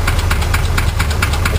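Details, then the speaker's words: 1965 Chevrolet junkyard truck engine at idle after building oil pressure: low lumpy idle with light rhythmic knock about four to five beats a second; initial tapping cleared but a little knock remains. "It's still got a little knock."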